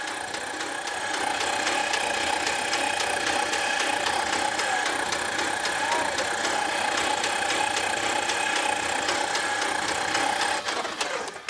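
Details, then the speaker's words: Homebuilt Glasair-type plane, 215 hp four-cylinder engine, after 21 years in a museum: fast even starter churning for about ten seconds without firing, cranked to build oil pressure, which rose; normal cranking. "now I'm going to crank it to see if it'll build oil pressure"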